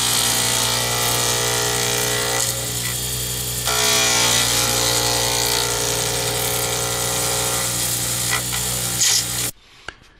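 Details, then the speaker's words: Wood lathe turning a D-shaped circuit board blank for a Zodiac pen kit: steady whirr with fast even clatter, about four hits a second, as the tool hits the blank's corners twice per turn; normal. "so you realize when you hear the clattering that uh that is normal when you're working with a d-shape you're hitting the corners twice so you are going to hear it clunk clunk clunk"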